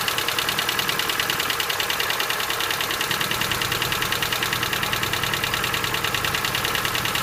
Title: Стук гидрокомпенсаторов